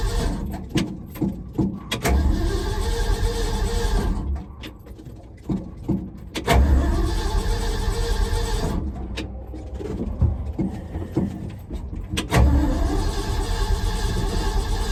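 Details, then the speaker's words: 1974 Ford F-250 with new mufflers just fitted, one side only mocked up and not fully bolted: the starter cranks in repeated steady bursts and the engine turns over evenly but never catches; cranks without starting, cause unknown. "Why is it not starting?"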